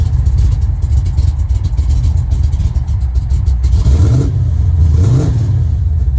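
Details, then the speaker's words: Freshly restored 1970 Plymouth Road Runner V8 with headers and Tremec 5-speed: deep, slightly lumpy idle, picks up cleanly on two quick blips and settles back smoothly; normal idle and revs. "And when you go down the road, the sound's not too bad. It's not too loud."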